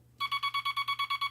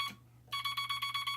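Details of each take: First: Telegraph bug keyer with dot stabilizer installed and dot contact readjusted: crisp evenly spaced dots about eight a second, definite start and stop, no scratchiness; clean dots. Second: Telegraph bug keyer without dot stabilizer, dot contact screw readjusted: fast even string of about seven or eight dots a second with slightly ragged edges; scratchy dot contacts.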